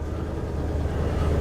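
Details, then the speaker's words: 1950 Ford V8 Pilot flathead, cold start days after last run, converted back to original points distributor and carb: starts first turn, steady even low rumble idle, no knocks or misses. "wow listen to that cold start first turn of the engine wow"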